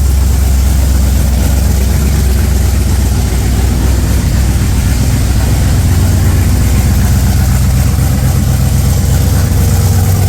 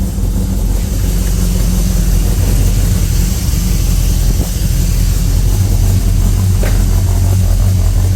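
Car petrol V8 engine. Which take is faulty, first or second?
first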